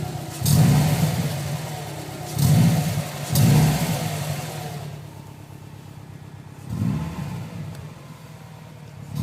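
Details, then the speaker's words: 2010 Subaru Impreza WRX Limited pulling away in first gear with light throttle: low droning surges from underneath as the clutch bites, fading off load; dealer could not find it and blamed the exhaust; source unclear. "First gear, re releasing a little bit the clutch, giving some gas, and you hear that sound?"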